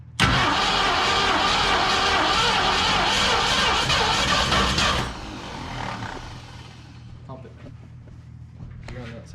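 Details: 1969 Mustang Mach 1, sitting 34 years: long loud cranking with ragged sputters that never catch a steady idle, then dies; hard start, cause not confirmed.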